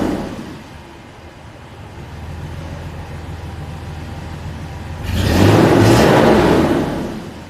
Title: W163 Misfire on 2 cylinders.